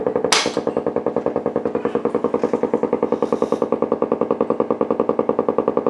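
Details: Blaupunkt Florenz shortwave/AM/FM radio, probably 1960s, with broken dial strings; steady even putt-putt pulsing about two and a half times a second through the speaker, motorboating. Owner suspects a capacitor or bad connection; chassis must come out to trace it.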